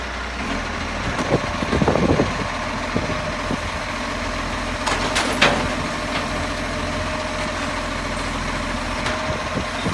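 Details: Steady mid-pitched buzz over a rumbling diesel idle with occasional clatter on a 665; the source of the buzz is not evident.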